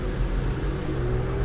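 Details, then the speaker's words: 2005 Buick Terraza after 4T65-E transmission replacement, driver's side wheel spun alone: deep steady rumbling drone with a slowly climbing hum; worn driver's side wheel bearing, unrelated to the transmission. "It's coming from the driver's side tire. You know what that means? That means I do have a bad wheel bearing."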